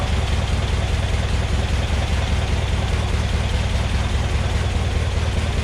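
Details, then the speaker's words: Massey Ferguson 35 Deluxe tractor after carburetor cleaning and rebuild, no load: strong, steady deep drone at about 2200 rpm, the recommended maximum, with no knocks or misses; normal high-rpm running. "like 2200 or so which is is about as high as you're supposed to go on these"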